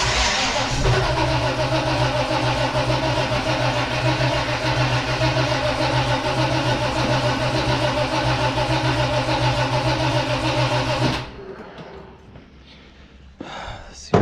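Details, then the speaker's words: 1969 Chevrolet Nova: even starter cranking about two turns per second for eleven seconds with no firing; carburetor not squirting fuel, owner waiting for fuel to be pulled up, dislikes the starter. "ER is not happy I really don't like that starter it's on this thing come on pull the fuel up"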